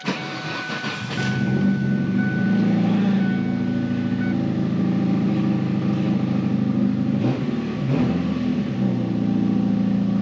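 A petrol car engine idles and revs with a raspy, puffing exhaust note that points to an exhaust leak.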